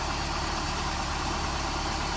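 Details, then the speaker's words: 1995 Nissan pickup, recently fitted with a new crankshaft seal and other seals, warming to operating temperature before a compression test: steady, even idle with a smooth low rumble and no knocks or misses. Sounds healthy. "I've got the motor here running get it up to operating temperature good sounds good"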